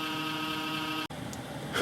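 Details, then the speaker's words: Home server powered up after a power outage: a loud, steady buzzing drone, then an abrupt cutoff; it sounds like a failing cheap 80 mm case fan. "okay uh here's the back of the Home Server you might remember in a couple videos ago I switched this fan out cuz it was making a bad sound"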